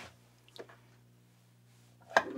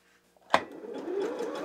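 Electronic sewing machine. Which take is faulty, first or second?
first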